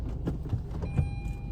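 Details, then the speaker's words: Tata Tiago with a customer complaint of knocking when steering left and right: a few sharp clicks, about two per second, on full right lock. Worn drive shaft CV joint, which is to be reconditioned. "என்ன கம்ப்ளைன்ட்ன்னா, steering left and right உடைக்கும்போது, கட கட கடன்னு sound வருது."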